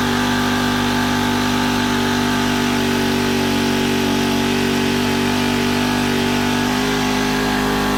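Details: Honda FG110 tiller with GX25 engine, previously ran only on half choke after owner fitted new carb; idle turned up high during carb tuning to warm it: steady, even single-cylinder raised idle, no hunting or misses — normal fast idle.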